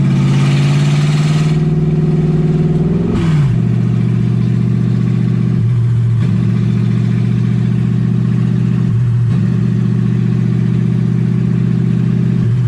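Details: Ford Falcon with 1UZ V8 swap, warm with radiator hot and temperature near 160: hangs at a raised, slightly hunting idle that never settles. Owner unsure why; high idle, cause not yet found.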